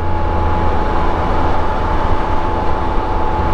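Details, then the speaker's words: 2023 Can-Am Spyder Sea-to-Sky at cruise on a test ride, near-neutral throttle: steady road drone with a thin, constant high whistle over it; normal belt drive whistle, not a fault. "I would hear that whistle and it was the belt whistle and I'm like that is the coolest sound sounds like a whip antenna off of a old police car or something"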